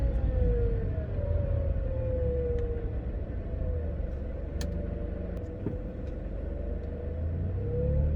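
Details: Worn AC compressor bearing: a steady high whine over the engine rumble, rising and falling with revs, present at all RPMs whenever the engine runs, sounding similar to a supercharger.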